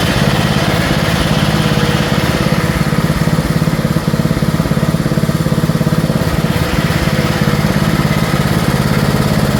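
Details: 1974 Dynastar lawn tractor barn find (sat about 30 years), single-cylinder after engine freshen-up and magneto coil replaced: steady idle thump with slight rise and fall, a mild gallop/hunting; owner thinks it needs more carburetor work.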